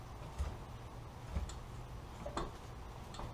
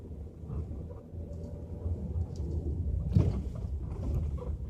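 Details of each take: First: 2012 L322 Range Rover front suspension: dull clunks about once a second as the front wheel is rocked, isolated to worn sway bar link ball joints. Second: 2012 L322 Range Rover on a bumpy road at 10 mph with right-hand sway bar link removed: only steady road rumble, no clunk or rattle; front clunk isolated to the sway bar, ball joints suspected.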